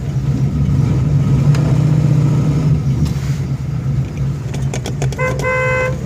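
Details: 1971 Dodge Super Bee with a non-original 440 engine and 4-speed manual, on a test drive: over road and engine rumble come a couple of short toots, then a steady clear honk; the horn works normally.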